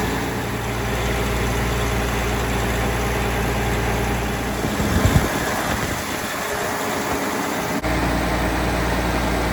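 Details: 12.7 L Detroit Series 60 diesel with PDI performance parts, first start after rebuild: deep, steady idle with a brief throttle blip, no surging. It ran away on first start; the electronic fault, possibly moisture arcing harness connectors, was cleaned. Runs normally.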